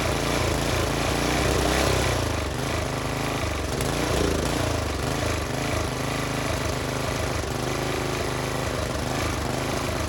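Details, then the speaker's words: Tiller engine, idle screw adjusted down: small single-cylinder chugging at a low, steady even idle, running properly. "all right guys y'all see me with my screwdriver here all I was doing is got a screw back here where you can adjust it where it won't idle down you ingest it as far as you want it to idle down"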